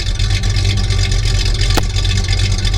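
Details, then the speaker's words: 1973 Plymouth Roadrunner, original 318 V8 with about 23,000 miles, recently cold-started, heard at idle from the tailpipes: a deep, lumpy, throaty burble that stays steady. The engine idles evenly and sounds healthy. "Hair out sounds, it's got that nice throaty sound to it. It sounds like a really mean race engine, but it's just a 318."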